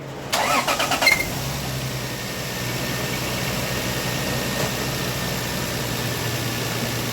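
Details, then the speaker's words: 1999 Lexus GS300 after a no-start with flooded-sounding cylinders: quick crank and instant catch, then a smooth, steady, even idle with no misses or shake, so smooth a camera on the intake doesn't vibrate. Normal start and idle. "I mean the it runs amazingly I literally have the camera stand sitting on the intake and another foot sitting on the uh cold air intake and them in the other part sitting on the ligh housing the camera's not even vibrating that's how smooth this engine is running right now it's amazing"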